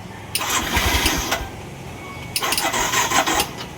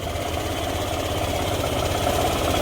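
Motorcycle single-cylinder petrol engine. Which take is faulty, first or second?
first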